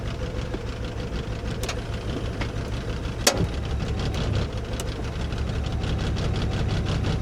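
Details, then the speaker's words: 1995 Mercedes E320 Cabriolet (W124) idling while the convertible top closes and locks: low uneven idle with irregular thumps and stumbles; owner expected it to run rough, cause not stated. "Now the car's gonna run rough. That's the best."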